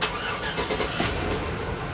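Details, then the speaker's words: 1991 Chevrolet S-10 or 2005 Chevrolet Suburban with corroded battery posts, jump-started with a JF.EGWO 6000A jump starter: short crank, then catches at once and settles into a steady run; normal start. "And she starts right up. Didn't have to crank it forever."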